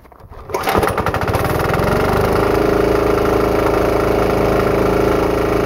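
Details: Diesel-engine-powered air compressor after removing a check valve so the pressure unloader works better: fires and settles into a steady even drone pressurizing the tank; RPM rises as unloader cuts load; normal running.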